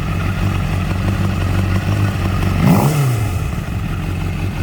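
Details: 2012 Honda CBR600RR: high revs, then a brief swooping screech as the throttle snaps shut and revs fall; cause not pinned down.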